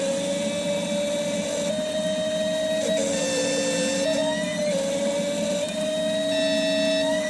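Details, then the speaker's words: New set of six K-Jetronic (CIS) injectors of the type used on a Porsche, tested on an ASNU bench: a steady hiss with a whine near 600 Hz, even across all six, with a consistent fan spray and crack pressure of 3.7–3.8 bar. Normal injector spray. "So that is consistently a fan spray. Uh the crack pressure is also considerably higher."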